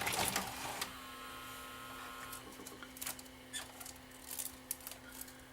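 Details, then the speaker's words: Old Panasonic VCR during playback: steady low hum with irregular clicks and ticking from the transport, picture shaking horizontally; the mechanism is chewing the tape. "it just ate my tape that's interesting is it going to do it again or yeah it's doing it here hear the noise"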